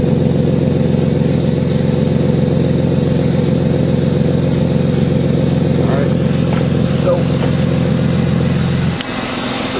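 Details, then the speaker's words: 1996 BMW E36 328is with F5/F6 codes, after replacing the stuck secondary air valve: steady even air-pump drone over a smooth idle during warm-up, cutting out near the end; pump runs normally. "back up it is now pumping air into the exhaust manifold cutting down on the uh pollutant doing warm up pretty much that's it"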